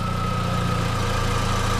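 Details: 2004 VW Golf 2.0 after a new A/C belt, compressor engaged and steering turned: steady, even idle with a faint constant whine and no belt squeal or chirp; the old belt was bad, compressor not seized.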